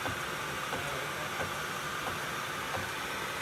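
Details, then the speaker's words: Rolls-Royce driving, recorded in car: sharp click repeating about every two-thirds of a second over road rumble, with a little thud, possibly a damaged tooth, fluid check planned, also oil leak; rear-end rhythmic clicking while driving. "we clearly know it's coming from the rear end that's all you know always something I've noticed this thing was making a little footy thud noise"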